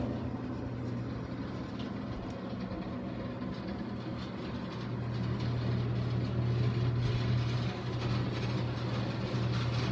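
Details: Residential platform lift installed in 1989, toggle-switch control that stops when released, recorded while climbing: a steady low motor hum with a mechanical rumble grows slightly louder and holds, a normal run.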